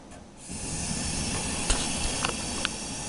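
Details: Gas oven whose oven section would not heat: the front gas burner lights with a soft steady rush and a few faint ticks, confirming gas supply; the fault was later traced to the ignitor.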